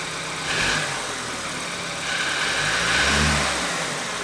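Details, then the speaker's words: 2013 BMW F30 328i with the N20 engine, idle for six months, after timing chain assembly replacement: engine idles evenly and picks up cleanly on two short blips with no knock or chain rattle; running healthy. "so since it's running good i'm gonna connect the laptop show you what codes were present and delete them"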